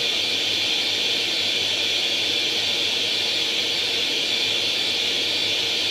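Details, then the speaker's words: Atari 800 XL after a RAM-chip transplant fixing a 5V-GND short, loading International Karate from cassette: continuous high hissing data tone, unbroken and level for six seconds; the game then starts; normal cassette data loading tone. "wir laden jetzt einfach mal international karate wird einen augenblick dauern"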